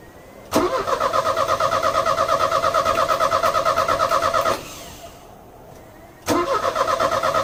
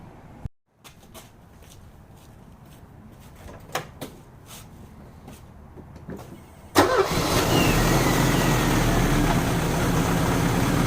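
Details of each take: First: Euro-spec Mercedes 190E 2.0, 5-speed manual, fuel just added: starter churns at about three beats per second, pauses, cranks again without catching; it later ran about 30 seconds and stalled, with gunky contaminated fuel found in the lines. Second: Euro-spec Mercedes 190E 2.0 five-speed manual, first cold start on a chilly day after cleaning spark plugs and rerouting vacuum lines: quiet clicks, catches at once, strong even idle, no misses; healthy cold start.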